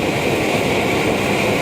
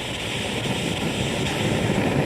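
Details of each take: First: BRS-8 multi-fuel stove on an isobutane canister turned up fully, after burning off leftover liquid fuel, during a 2-cup boil test: constant even roaring hiss with no sputtering or pulsing; normal steady burn. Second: BRS-8 multi-fuel stove, bottle flipped the other way: loud, ragged, fluttering roar with no clean steady hiss; liquid fuel is flaring rather than vaporising.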